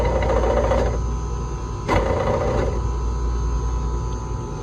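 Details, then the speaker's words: Electro Freeze soft-serve machine right beater drive motor run in diagnostics mode: steady low hum with a rough, uneven, rising-falling rumble. It sounded like the belt, but the fault is the beater drive motor. "All right, so you heard it, and it sounded like the belt, but always, there's too much complexity, right? You've got the motor, the bearings, you've got the reducer in here, you've got so many moving parts."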